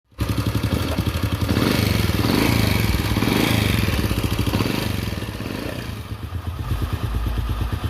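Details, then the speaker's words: Honda Supra small motorcycle engine idling smoothly and evenly with no rattle; previously a noise resembling a cam chain, though owner says it was not the cam chain. "ya, suaranya jadi halus ya teman-teman, halus."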